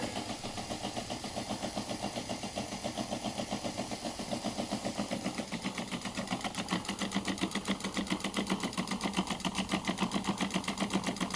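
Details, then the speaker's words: Intercooler spray-bar pump with 3D-printed PLA bar and 5 high-pressure nozzles, powered from a switch mode power supply: rapid regular clicking, nearly four per second, over a light pump whir. The clicking comes from the supply, which runs better on a 12 V battery. "The clicking you can hear is from the switch mode power supply. It's better when it's on a 12-V battery, but it's running quite nicely."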